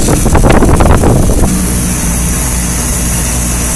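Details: 1990 2.5-ton Tempstar heat pump outdoor unit in cool mode: loud harsh rasping roar like a hacksaw over a steady low hum; old unit sounds worn and slowly dying, cause not confirmed.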